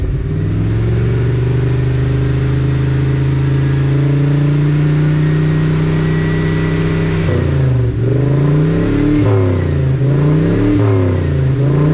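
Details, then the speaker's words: 1980 Dodge W200 Sno-Commander with a swapped Magnum 5.9L V8 and new plugs: at raised rpm it surges and sags on light throttle blips, blowing black smoke and loading up. The owner suspects a badly rebuilt carburetor or oversized accelerator pump. "Yeah, this thing's super, super rich. I'm not even like flooring it or nothing. I'm like barely cracking the throttle. It's going like super black. I bet this carburetor's screwed up. Yeah, it's loading up."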